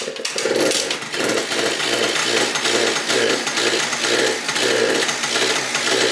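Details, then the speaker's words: Yamaha BWS 70cc two-stroke scooter, first start after full engine rebuild, big carb, stock pipe, pod filter: raspy, buzzy, rough running with uneven surging bursts; backfiring traced to a missing ground, confirmed by a temporary ground wire. "There's gotta be a ground missing for it to be backfiring like that."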